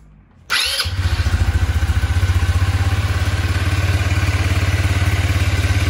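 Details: New 2021 KXD Renegade 200cc ATV, first start after unboxing: quick crank, catches at once and settles into an even, deep idle with no knocks or rattles; a healthy new engine.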